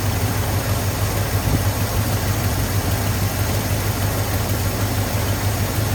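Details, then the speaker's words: 1983 Ford F250 with carbureted 460 V8, first start after fuel filter fitted and priming, accelerator pump leak noted: deep, steady low rumble with even pulses, no misses or knocks; normal idle. "But it did fire up, and that was great."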